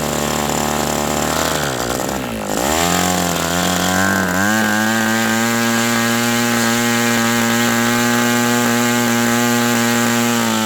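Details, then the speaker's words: New OS 120 AX RC model engine on first break-in run, about 63°F outside: high buzzing note dips then climbs to steady, slightly uneven pitch; running rich, won't yet take a leaner setting. "I'm going to let the engine cool a little bit and then fire it up and run the rest of this tank out and we'll see if we can't get that tuned. The engine doesn't really It's still being broken in so it's really not wanting to be set to the low"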